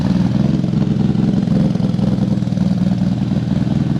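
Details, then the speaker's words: Mk3 Toyota Supra on new trigger kit and exhaust, before setup corrected (firing order apparently wrong): uneven, lumpy low rumble with irregular pulsing and clattery edge at idle; running rough, misfiring. "something ain't right that's what it sounded like last time"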